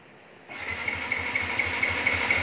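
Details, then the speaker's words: Yamaha Exciter 2019 cranks but won't start: fuel pump heard, power present, but no high-voltage spark; starter cranks in even pulses about five per second with steady hum, never fires; check lean angle sensor. "không nổ và em và có điện Các Bạn Ừ rồi nghe tiếng bơm xăng mà đề bị mất điện cao áp thì lúc đấy anh em hãy kiểm tra cho mình cái cảm biến góc nghiêng này"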